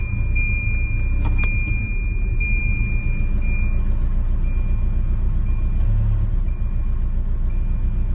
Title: Rough idle